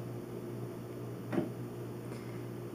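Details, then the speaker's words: Kitchen fluorescent light after its failed ballast was fixed: faint steady low mains hum and buzz in a quiet room with one brief click; normal fluorescent light hum. "there's something I don't like about fluorescent lights, and that's that it hums when and buzzes when you have it on."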